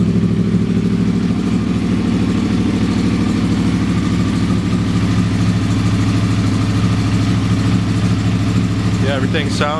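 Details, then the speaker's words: Motorcycle idling after repacking and re-riveting its Graves Link exhaust canisters: deep, even burble with low thumping pulses, no hiss or ticking; no leaks felt around rivets, sounds really good, normal idle. "sounds really good, looks good, don't feel any leaks."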